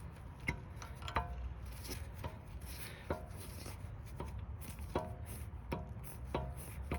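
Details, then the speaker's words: Front brake with the caliper removed: the pad is rocked by hand in its carrier slot, giving sharp, hollow clicks about every second. This is the cause of the front-end clunk when braking. "you can hear the noise. And I'm barely touching that, I'm doing that just with one hand. So you can imagine with the force of a car on top of that, that's going to make quite a knocking noise."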